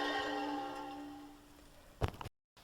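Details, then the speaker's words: 2001 Honda Civic / Acura EL front hub off the car, spun by hand, gives a ringing whirring drone that should be silent. The wheel bearing is worn and howled loudly while driving, and both sides are to be replaced. "listen that is a shot bearing can you hear that that should be silent"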